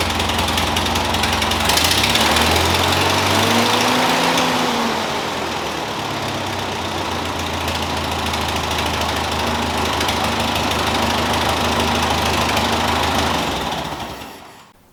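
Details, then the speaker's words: Ford 2N tractor with a new aftermarket carburetor, running on its own for the first time in years, no coolant added yet: steady, even idle at roughly four pulses a second with no knocks or misses. "right guys finally this thing is running it's operating perfectly fine"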